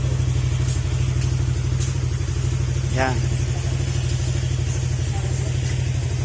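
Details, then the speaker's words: Honda Click 125 scooter after engine overhaul and diagnostic reset of check-engine error codes: steady, even putter at idle with no knock or rattle; engine now sounds fine. "bale okay na to mga sir narinig naman natin na Kumander na yung motor Okay na siya"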